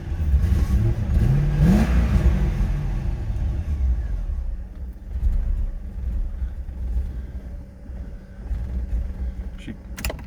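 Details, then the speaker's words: 2000 Corvette C5 long stored, after cycling fuel pump: fires and revs briefly, then sags and dies, won't stay running; throttle seems to help slightly; cause not confirmed. "problem is it will not stay running i think i'm going to cycle that fuel pump a couple more times"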